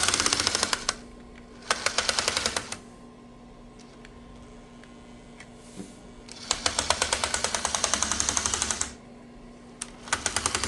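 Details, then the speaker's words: Bachmann GE U36B model locomotive running in bursts: a rapid, sharp, rattling click from cracked gears, blamed on the poor material used for the gears in these motors. "it's that dread clicking noise these Bachman engines make due to a uh poor material used to uh put the gears in these motors"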